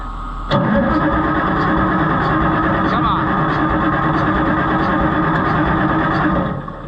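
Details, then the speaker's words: White 2-70 gas tractor being revived: engine fires and runs unevenly for about six seconds, then fades and quits; it's guessed it isn't getting fuel. "now we're just not getting fuel I guess but it did run"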